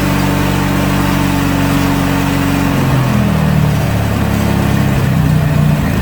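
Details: Riding mower after winter storage, repaired with a new starter relay, cleaned fuse and refitted battery: engine catches and settles into steady even running, brief pitch change, no misses or knocks. Normal running.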